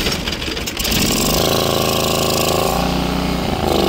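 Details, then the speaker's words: TMR feed mixer engine surging, its speed wavering up and down instead of holding steady after it catches; the owner suspects carburetor problems, which have kept it running poorly for a couple of weeks, with repair planned. "you can hear TMR mixture isn't quite running right it's having some issues with the carburetor so later today we're going to work on that"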